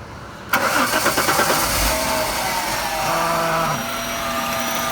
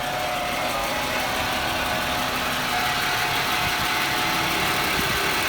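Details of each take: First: 1996 Jaguar XJ6 starting after an oil change of about 5 quarts. It catches, then makes a rapid metallic rattle for about 1.5 s before settling to idle with a faint hiss. The owner thinks it sounds bearing-like, and it stopped when the hiss stopped; cause unconfirmed. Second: 1996 Jaguar XJ6 inline six at a steady, smooth idle just after an oil change with Mobil 1, with no knocks, ticks or misses. Good oil pressure and no leaks; it sounds healthy.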